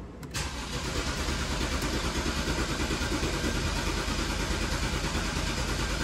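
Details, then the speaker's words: BMW 328i cranking steadily at about three beats a second with no firing; fuel pump primes after its backwards connector was fixed and fuel reaches the rail, but injectors don't fire; missing engine control fuse. "ah yep fuel coming out which means the car has fuel the fuel injectors are not firing"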